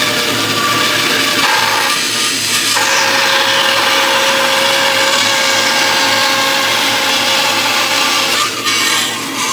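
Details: 1930s 36-inch Oliver bandsaw resawing a board to thickness against a clamped straight-board fence: steady hissing cut with a soft motor hum underneath, pitch staying even as the board feeds through; resawing normally.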